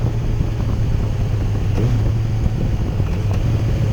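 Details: 2008 Yamaha FZ1 while riding, after an ignition coil swap fixed a stutter and hesitation below 4,000 rpm: smooth, continuous engine drone under wind, pulling evenly without stumbles or misses.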